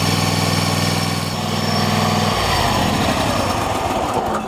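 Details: Troy-Bilt lawn tractor single-cylinder engine, retest after choke cable adjustment fixing hard starting: holds a steady, even beat with a clean speed change partway as throttle/choke lever moves; runs properly.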